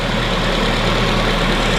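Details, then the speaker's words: Mk2 Ford Mondeo, first start after revival, running after the fuel pump was powered directly because the car was cutting power to the pump; smooth, even idle with a steady low hum, no misses or knocks, healthy engine. "what a great engine I'm going to turn this off before I do any damage to"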